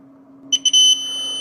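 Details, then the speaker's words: 48 V e-bike charger (54.8 V output) that smoked, controller chip area burnt: two quick chirps then the meter holds a steady continuity tone across a totem-pole driver transistor, which is shorted; drive circuit faulty. "哟，驱动3极管直接是短路的啊，那是它驱动电路有问题啊。"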